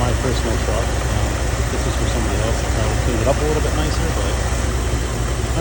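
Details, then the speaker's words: 2012 Chevy Silverado 5.3 V8 with 200,000 miles, restarted after an intake manifold gasket replacement for a hard start and a lean code: a steady, even low rumble with no misses, ticks or hunting; the idle sounds good. "Idle sounds good. I think we're good."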